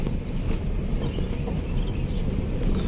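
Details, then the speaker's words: Toyota Kijang Innova test-driven on rough road after front brake repair fixing worn, loose caliper bolts: steady low road rumble, no knocking or clunking left from the front left and right wheels. "alhamdulillah aman cash nggak ada suara keroncong keroncong lagi di roda depan kiri kanan"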